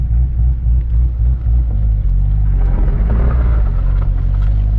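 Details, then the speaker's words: Corvette with newly rebuilt LS3 V8 on first drive, running on base tune, coolant low and running slightly hot; deep steady rumble pulling smoothly under light throttle, no knocks or misses, healthy engine under load. "the car sounds freaking amazing holy i can't believe i used to daily drive this car"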